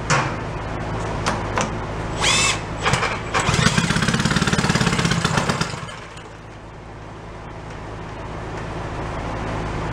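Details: 1937 Sears Waterwitch 2.5hp two-stroke outboard, 83 years old, revived after decades in a shed, running in water on 30 weight oil mix: pops into a fast even buzz as throttle opens then settles; running properly.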